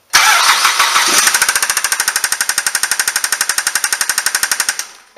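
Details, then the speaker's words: 2007 Ford Fusion 2.3L Duratec four-cylinder right after starting: a hard, rapid metallic knock near the spark plug area, most likely engine bearings; oil level found empty. "on how the sound it is most likely we have an issue in the engine bearings"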